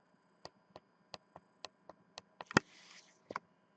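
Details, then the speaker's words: New Rockford Fosgate RFX9200 car radio whose middle menu button did not work, after the button was replaced and soldered: crisp, evenly spaced single clicks about every third of a second. The push switch is working properly. "voilà au moin celui-là il fonctionne on entend bien le claque"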